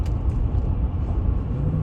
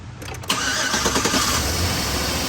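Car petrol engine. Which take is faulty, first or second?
second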